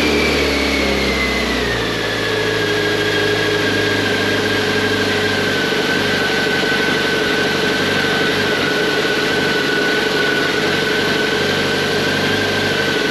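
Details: 1998 BMW K1100LT motorcycle, about 83,000 miles, just after fuel pump replacement (tank had debris and probably water): revs drop from a raised whine and settle into a smooth, steady run with no stumbling or surging; engine running cleanly.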